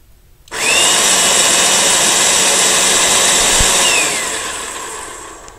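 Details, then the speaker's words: Wagner/Spraytech airless paint sprayer after pump repair kit install and oiling, front cover off, switched on: high steady whirring buzz for about three seconds then winds down, pump running normally. "It says install the front cover and 4 screws, but I want to turn it on first while I have it open because I want to see what it's doing."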